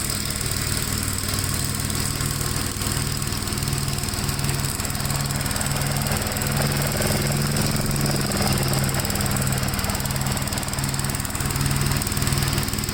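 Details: 1957 Gravely tractor mowing soaked grass: a steady, busy single-cylinder chug holds speed under the cutting load with no misfires. It pulls strongly with power to spare and runs normally.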